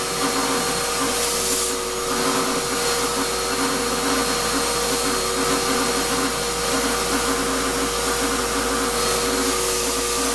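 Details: Shop-Vac vacuuming coarse grit from a rock tumbler: steady high whine over a rough, gritty roar; owner says dust previously pulled through the motor before adding a dust separator pretty much destroyed it. Grinding motor whine.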